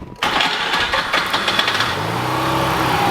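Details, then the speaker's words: Mazda RX8 13B rotary with electrical no-start issues, started off the key after jumping the starter; cranks, catches with a burst, then uneven lumpy idle with wavering tone, sounding slightly out of tune; cause suspected, not confirmed; rough running. "well that worked it didn't sound like it was running two out of it didn't sound great like it was slightly out of crew but starts off the key now"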